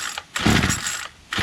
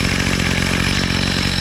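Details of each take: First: Bolens MTD BL-160 25cc two-stroke weed trimmer, carburetor cleaned, high mixture screw wide open; short raspy revving bursts fade to near silence, engine catches then dies; stalling, before resetting low screw to factory (suspected mixture, unconfirmed). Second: Bolens MTD BL-160 25cc two-stroke weed trimmer, after carburetor cleaning and low mixture screw reset (bottomed, then turned out), choke off: steady buzzy idle, then clean quick rise to smooth, even high-rev scream at full throttle; idles and runs properly.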